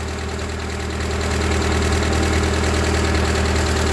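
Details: Ford 2N tractor four-cylinder idling with belt off and water pump not turning, after moving under own power and hydraulics tested; steady, even beat around three pulses a second, no knocking or stumbling; running fine with strong oil pressure.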